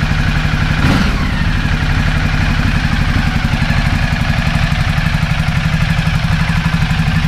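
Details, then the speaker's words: 2010 Ducati Multistrada 1200 L-twin after fitting new high-capacity battery and starter cables: quicker, faster crank catches in about a second, roughly half the time, then a steady even idle; normal start, slow-start fixed. "well i'd say so start it up probably in half the time and the crank over speeds a little bit faster so that is a result"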